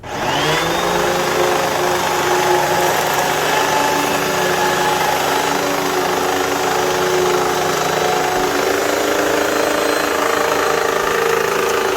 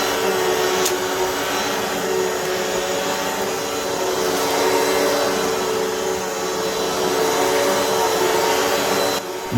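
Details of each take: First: Hoover WindTunnel vacuum running: loud steady motor roar with a faint, uneven clicking underneath from the brush end; worn drive belt slipping, fixed by belt replacement. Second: Hoover WindTunnel vacuum after drive belt replacement, new tensioned belt seated in guide wheel and spin brush refitted: motor runs with a steady, even roar and no clicking or slapping from the brush drive, so the vacuum sounds healthy.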